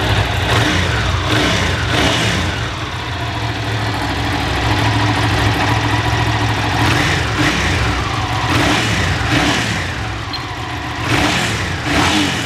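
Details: Ducati 750 SS Super Sport, 750cc air and oil cooled V-twin, about 65 hp, three owners, freshly serviced with new plugs, filters and cam belts: deep even idle with crisp blips rising and settling cleanly; normal idle and revving.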